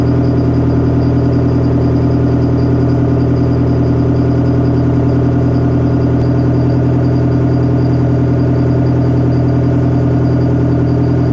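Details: Detroit Diesel 4-53TIB two-stroke diesel, rebuilt Silver series, cold idle outdoors at about -7 to -10°C after Webasto preheat, no oil heater, oil about 28°F: deep, even drone with a fast, regular beat, no knocks or misses. Normal cold idle.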